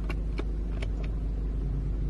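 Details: 2016 Mercedes GLE W166 after parking brake module replacement and programming (module under driver-side rear seat): a few quick clicks and a short motor whir over a low engine rumble; the electric parking brake applies normally.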